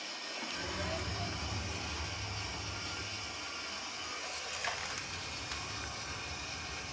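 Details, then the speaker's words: Rheem gas water heater with suspected bad gas valve, main burner lit after bleeding air from the gas line; steady low rumble with even airy hiss, no popping or flutter; normal burner operation. "there it goes and it should stay on and just turn it on"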